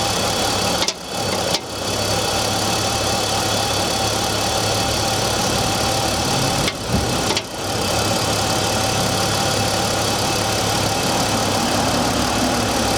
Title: BMW e46 m54 knocking sound cold engine